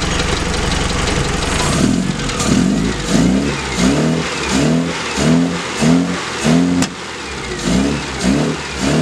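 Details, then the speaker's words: Australian Leyland Mini, after new Accuspark coil, leads and distributor, being revved from idle: quick throttle blips then a sharp backfire crack; ignition timing needs further refinement. "now so you could hear there was a bit of a backfire so again bit of timing refinement is needed"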